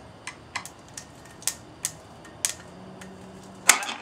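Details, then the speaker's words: Boat engine with NGK plugs and cap off: sharp dry clicks, about seven in four seconds, with no cranking; terminals were cleaned, so starter solenoid connection suspected. "let's see right there with that clicking noise as you can see"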